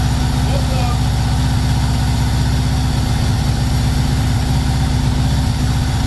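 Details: VW T3 Combi with swapped Subaru engine just after first start: loud, steady, low idle with an uneven lumpy beat about 2.5 pulses a second, black smoke, mixture around 12.5, far too rich.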